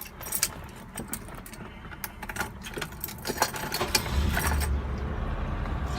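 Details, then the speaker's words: 1972 BMW 2002 automatic, fully restored, odometer 5437: keys rattle, then it starts right away on the first try and drops into a quiet, steady low idle; a healthy start with no issues. "As you can see, it starts right away, no issues."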